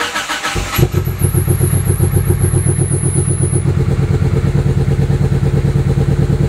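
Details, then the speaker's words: GSX engine just fitted with RC PL4-750 (750cc) injectors, replacing RC 550cc, tune restarted from scratch; after a brief crank it settles into a lumpy, stumbling idle with two misfires. Owner suspects a bad injector pulse signal, a clogged injector or a burned-out injector. "problem clearly something's wrong I've got two misfires what it sounds like but what it is most likely is either a bad injector pulse signal a clogged injector or a burned-out injector"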